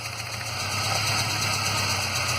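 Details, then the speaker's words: 2006 Ford Ranger 2.3L four-cylinder, 188,520 km, P0300/P0303 codes, loss of power and shaking; lumpy idle with a faint stumble, misfire on cylinder 3, confirmed because unplugging its coil changes nothing. "como ya pudimos notar el cilindro número 3 es el que presenta una mala combustión ya que al desconectar la bobina"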